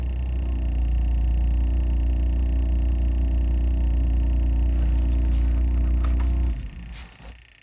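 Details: BMW F80 M3 on cold start: a steady, deep droning buzz from the dash holds about six seconds, then cuts off abruptly.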